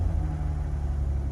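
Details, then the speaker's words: 1966 Jaguar XKE Series 1 2+2, cold start on choke on a chilly day, warming up. Idle is a low, soft, even rumble with no misses or ticks, so quiet you can barely hear the motor. Normal idle. "now she's a little bit cold so you can you can barely even hear the motor running that's how quiet this thing is"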